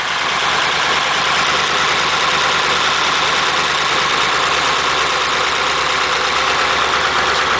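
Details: 276-inch flathead V8 in a Model A roadster on '32 rails, just restarted after about 18 months parked outside, cold on choke: steady, even idle with a soft hiss, no knocks or misses while warming up.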